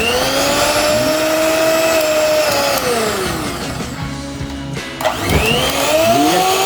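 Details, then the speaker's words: Miyako HM-620 hand mixer after its burnt, sparking motor was replaced with a new one: smooth, even motor whine that rises and falls cleanly with the speed setting, with no crackle or rattle. Runs normally. "Suaranya juga baru seperti baru, casingnya aja yang lama, dia pakai baru, mesinnya baru."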